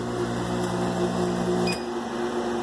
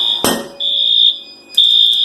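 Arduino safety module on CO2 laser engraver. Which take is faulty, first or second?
second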